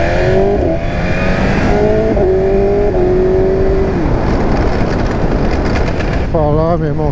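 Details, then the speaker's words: BMW S1000RR M Carbon riding: engine climbs through the gears, then a shift fails to engage and revs surge and bounce freely in false neutral before regaining gear. "Estava acelerando, joguei a marcha e aí a moto ficou solta, a marcha não entrou e ficou blá, blá, blá, embolando."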